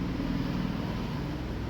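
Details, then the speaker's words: Washing machine on spin: steady low roar and rumble, no noise during washing, from a worn bearing in the drum mechanism, fixed by replacing the mechanism; worn drum bearing noise. "Sound വരുന്നുണ്ട് വെർപ്പിളിന്റെ കൂടുതലായിട്ടും complaint വരുന്ന ഒരു ഭാഗമാണ് ഈ sound എന്നുള്ളത് അതായത് വാഷിങ്ങിൽ ഒന്നും complaint ഉണ്ടാവില്ല സ്പിൻ ചെയ്യുന്ന ടൈമിലാണ് അതിന്റെ സൗണ്ട് വരുക"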